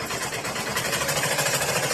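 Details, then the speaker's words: Sewing machine running at steady speed with a fast, rattly mechanical clatter about nine beats a second, louder than normal even after oiling; cause unclear. "బాగా sound వస్తుంది నాది machine sound బాగా వస్తుంది"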